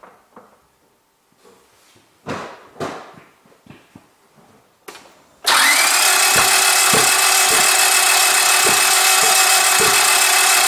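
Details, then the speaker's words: Gasoline car that cranks but won't start, heard after a spark test found plugs, cables and ignition coils OK. Starter spins the engine at a steady fast rhythm but it never fires. Cause still unknown. "Okay, and then this final result tells to me that my sparking system is okay and there is no any issues, and then why my car don't and not starts, there is still something defect in this my engine"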